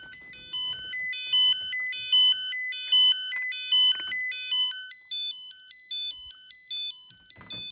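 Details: Battery-powered nickel-strip spot welder beeping continuously after being switched on: high electronic beeps in a steady stepping pattern, about one cycle per second; OLED shows no message, and the owner suspects low-cell over-discharge protection, unconfirmed.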